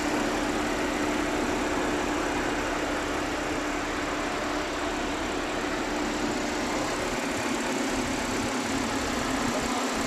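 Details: Audi V6 TFSI idling after a misfire was fixed: steady, even hum with an unchanging note and no stumbles or misses; sounds healthy.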